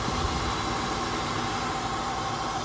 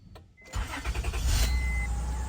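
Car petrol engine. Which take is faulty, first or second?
second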